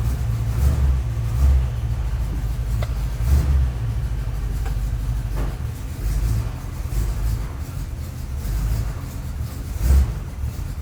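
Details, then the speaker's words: 4x4 hot rod started after waiting on parts: a deep low rumble with a slight lumpy pulse and gentle rev swells. It is somewhat noisy but not terrible, with no knocks or rattles, running pretty good before a test drive. "seems to be running pretty good let's pull her out and see how she does"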